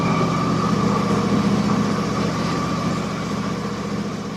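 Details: Husqvarna YTH24 mower, Briggs & Stratton Intek 24 hp V-twin, after the leaking plastic intake was replaced with aluminum manifold 797503 and a new breather gasket: even, steady idle with a smooth pulse and no hunting, surging or popping; normal.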